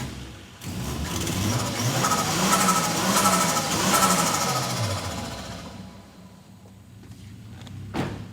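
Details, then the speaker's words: 1989 Toyota Supra MA70 with a 7M-GTE turbo, revived after 6+ years sitting: catches, revs cleanly and settles back smoothly with no misses; compression test planned. "Yeah, there we go. If you don't love that sound,"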